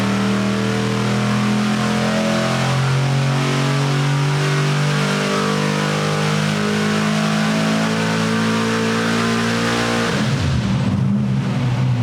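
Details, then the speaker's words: Engine on the dyno with new spark plugs, running rich with little timing: hard steady pull, then around ten seconds the note breaks up and falls away, stumbling under load; owner guesses not enough timing. "I think it's um if I had to actually guess, I'd say it's probably doesn't have enough timing in it to run."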